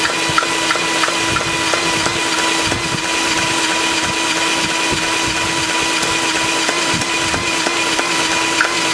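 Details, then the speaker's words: Homemade six-cycle model engine running; sharp tick knocking about three times a second, unevenly spaced; owner suspects spark firing slightly too soon and plans to adjust timing by loosening three screws; engine knock. "there's almost sounds like it's firing too late and you can hear that knock so that's the power stroll this compression here should fire right about I think it's firing just a little too soon"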